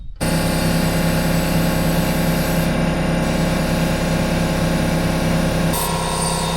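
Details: Lawn mower running after sitting a while and being propped on one side. It was a bit hard to start because the fuel had likely run back, but once fueled it runs with a steady, even drone with no misses. It sounds fine, though it probably needs a service.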